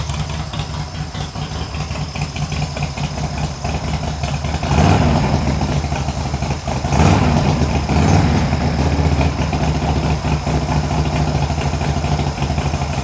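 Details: Harley Sportster build, first start after new short plug cables, on choke with throttle adjusted: big twin fires, blips, then holds a lumpy but even potato-potato idle, no knocks or misses; sounds healthy.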